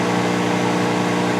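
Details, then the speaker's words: 1988 Magic Chef microwave running 30 seconds on water at 69.8 degrees: loud steady buzzing hum with a rattly edge and vibration, no pitch change. Not heating, and the magnetron appears to output nothing. "i'll do 30 seconds and hear what it sounds like not sounding good"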